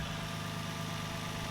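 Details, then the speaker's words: Nissan 350Z after fitting a new belt, refitting the drive belt and tightening the tensioners and pulley: smooth, even idle with a steady low hum and a faint constant tone, no knock, squeal or ticking; normal idle. "good everything's looking mighty fine now"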